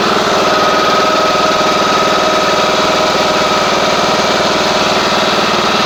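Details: John Deere D110 riding mower, cold start: single-cylinder idle with a fast, fairly even light click, about four per second; source of the click undetermined.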